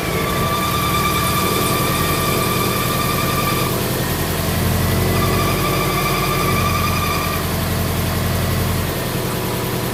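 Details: Supercharged Subaru Outback EJ25 DOHC, startup after the oil pan replacement, with the A/C belt found off by a couple of ribs: a steady high squeal over the idle that briefly drops out and returns.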